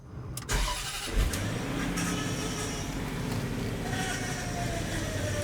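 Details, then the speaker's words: 2007 Range Rover Supercharged (L322) restarted during bleeding after high-pressure power steering hose replacement: engine settles to idle, faint rising whine as wheel turns lock to lock; bubbles still in fluid, air in power steering. "Okay, it's making some noise. There's still bubbles in here."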